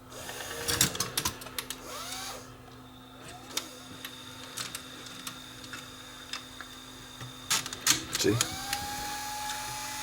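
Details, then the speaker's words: Aiwa M110 multi-system VCR whose take-up spool won't turn on playback: light irregular clicking as the reel is turned by hand, a ratchet catching; owner suspects the reel lock is still engaged, not confirmed. "but it seemed like the real lock was still on because when i when i turned it by hand you can hear it ratcheting"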